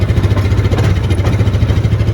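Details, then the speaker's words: Used Yamaha Viking side-by-side, put in reverse gear: steady, even low thrum at idle with a regular pulse and no knocks or misses. Normal idle. "if you start it cold if you're gonna smoke it's gonna smoke right then it sounds pretty good"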